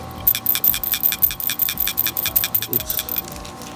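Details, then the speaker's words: PCV valve from a 2013 Toyota Camry SE with the 2AR-FE engine, old valve after cleaning, shaken by hand: crisp light clicks about two or three a second. It rattles freely, close to the new valve, like a clean, working PCV valve. "but once I cleaned the old PCV it rattled and shook very close to the new one before it was"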